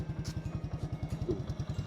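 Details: Honda motorcycle with rebuilt top end (new carburetor set, new cylinder barrel), new chain and shocks: even, steady putter with no knocks or rattles; owner says engine runs smooth; normal idle.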